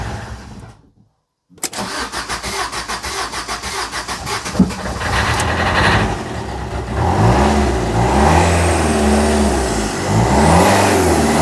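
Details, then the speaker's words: Fiat Doblo diesel after engine rebuild following a snapped timing chain, first start after bleeding the high-pressure fuel system: cranks, catches and settles to a loud open clatter with even firing and no knock or chain rattle. "That sounds like it's alive. It's alive. It's alive."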